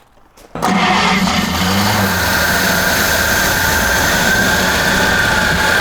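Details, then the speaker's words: 1954 Chevy Bel Air six-cylinder after carb work: silence, then it catches and roars to a fast uneven run with a faint squeal, likely running only on fuel splashed into the carburetor; fuel pump suspected not working; oil on rockers not yet seen. "i'm gonna say the fuel pump ain't working good"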